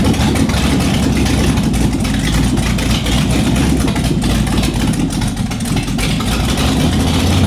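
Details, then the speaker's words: Shelby Cobra with Ford 427, first start in nearly a decade: loud unmuffled V8 idle with a lumpy, uneven beat that won't settle. Rough idle; a major vacuum leak is suspected from the carburetors left on the intake, not confirmed. "you know we did not remove the carbers off the intake so it sounds sounds like it's got a major vacuum leak"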